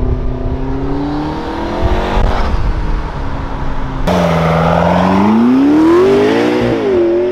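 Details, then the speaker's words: McLaren MP4-12C back on the road after repair of a knocking/thumping tick other shops blamed on the engine: clean, smooth drive-by, revs rising and falling evenly, no ticking or rattle under load; healthy. "it's back on the road it's going to have a nice fun time"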